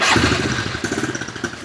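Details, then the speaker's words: Honda CRF110F dirt bike after battery replacement, cold start on choke with electric starter: quick catch, fast even single-cylinder putter settling into steady choked idle; healthy. "Oh yeah, ready to roll again. No more kick-starting because this thing is a beast to start."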